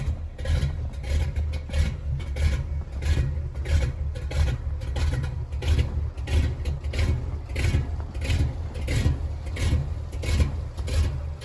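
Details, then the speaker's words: 1983 Chevy K20 with Edelbrock 600 CFM carburetor and electric choke, cold start at about 30°F after sitting a couple of weeks in snow; the V8 catches and settles into a steady, slightly lumpy idle with a faint chirp. Normal cold start and idle. "Chevy K 20 it's about 30 degrees outside I haven't started it in a couple of weeks it's got a Edelbrock 600 CFM electric choke"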